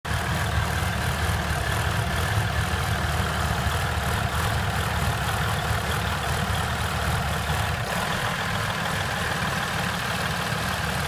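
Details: 2015 RAM EcoDiesel, 13,000 miles, randomly idles rough with a deep uneven clatter and stumbles, worse at 90–110°F coolant and in gear, smoothing with throttle or at full operating temperature; no check-engine codes, and the dealer is unsure of the cause.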